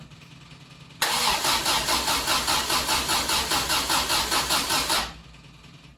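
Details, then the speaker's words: 1974 MGB first start after 12+ years unassembled, choke on, fuel pump running, 50 psi oil pressure; starter spins evenly about 2.5 turns a second for four seconds with good compression and spark but never catches: no fuel reaching the rebuilt carburetors. "as you can hear when we turn it over we have compression so therefore we're not getting fuel"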